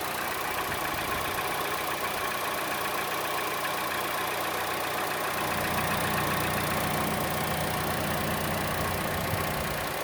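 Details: Chevrolet Cruze engine at idle: a light, fast tick at about four per second, louder than the normal engine tick and strongest toward the belt side; the camera moves around to locate it, and the cause is unknown.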